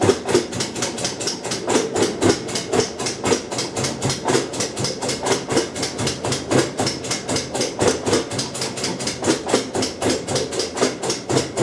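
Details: Kenmore 90 Series top-load washer, model 110.26902691, clicks sharply and steadily about four a second during rinse cycles, room lights blinking; no broken or loose parts found, also without load.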